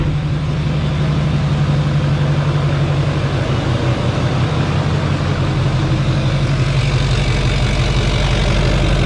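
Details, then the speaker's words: 2004 GMC Yukon 2500 with a swapped LBZ Duramax diesel, first start: it fires, dies, then settles into a deep, steady idle rumble with no knock. Fuel then poured underneath; owner guesses the injector return line. "oh she just kicked on and it kicked right back off holy crap this thing just fired i cannot i cannot freaking believe it i want to hear it again oh she's running she's running"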